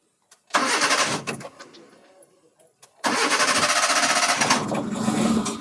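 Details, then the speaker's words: 2015 Hyundai i10 1.1 four-cylinder is cranked, stumbles and dies, then restarts into a lumpy pulsing idle misfiring on two cylinders; the coil for cylinders 2 and 3 gets no current, blamed on a faulty ECM. "मैंने start कर दिया लेकिन देखेंगे तो गाड़ी पूरा misfire हो रहा है आपको आगे से दिखाता हूं तो इसका इंजन मिस फयर हो रहा है"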